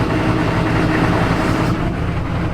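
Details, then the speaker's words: 1996 Chevrolet Silverado 4WD, 6.5 L turbo diesel fitted with a cheap eBay turbo: loud clatter swelling and sagging unevenly, throttle sporadic and jumpy, won't hold revs in gear though fine in park; cause unconfirmed. "as far as the throttle goes it's been really sporadic very jumpy doesn't like to sit in one spot when the truck is in park it's fine it's just when I put it an"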